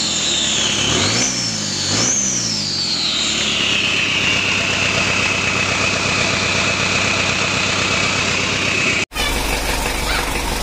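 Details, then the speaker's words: Mitsubishi Strada Triton 4D56T turbo diesel, rebuilt after overheating seized and scored the liners; intake manifold hose temporarily fitted so turbo builds boost. Two throttle blips with rising turbo whistle, then steady even idle; injection pump and nozzles not serviced. Normal idle. "ini suaranya Udah halus karena selang dari intake manifold tubuhnya udah kita pasang meskipun untuk sementara biar turbonya menekan dan suaranya jadi halus"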